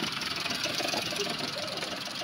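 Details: Maruti Suzuki Alto 800 commercial after an engine rebuild for a bad internal noise suspected to be the connecting rod, blamed on late oil changes, fitted with an original oil filter; the check light is on. Steady, even idle with a light hiss, no knock.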